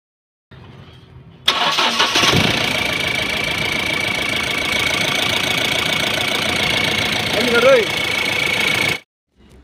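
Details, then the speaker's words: Mahindra Bolero MaXX Pick-Up diesel with starting problem and code P0A0F-00, after replacing a faulty sensor: brief crank, then catches cleanly and settles to a steady, even idle with no misses or knocks; normal start and idle. "यह जो गाड़ी है start हो चुकी है complete हो चुकी है"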